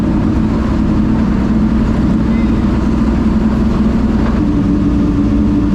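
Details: Ford Thunderbird NASCAR stock car (Hooters) on test drive after reinstalling the starter and re-gasketing/tightening the headers: loud deep V8 roar pulling cleanly under load, steady firing, no misfires or knocks; runs great with plenty of power.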